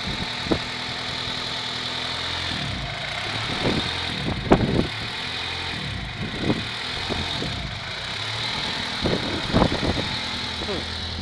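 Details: Honda Prelude petrol engine idling unevenly with irregular thumps and dips breaking the low hum; rough idle, cause unknown.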